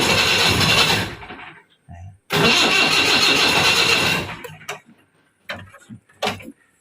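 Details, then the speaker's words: Diesel jeep that ran out of fuel, refilled, cranked in neutral: two cranking bursts of about one and two seconds that never catch or idle; hard starting after running dry. "Diesel ഒഴിച്ചു, വണ്ടി സ്റ്റാർട്ടാവുന്നില്ല. അപ്പം ന്യൂട്രലിട്ട് സ്റ്റാർട്ടാക്കി നോക്കിയിട്ടൊന്നും സ്റ്റാർട്ടാവുന്നില്ല."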